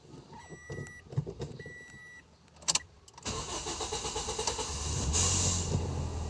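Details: 2008 Toyota Vios that had misfiring and hard starting, after wiring re-taped and insulated, started in neutral: warning chimes, quick crank and catch, then smooth steady idle without stumbling; now runs evenly.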